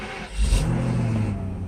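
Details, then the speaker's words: Mercedes S600 during mass air flow repair, after retightening loose spark plugs on the LH bank, diagnostics connected, first start since the previous day. It cranks briefly, catches cleanly with a rev flare, and settles to a steady low idle: normal start. "Initial start was good. It actually started up just right, like by listening of the actual initial start. RPM fluctuations can happen, that's okay."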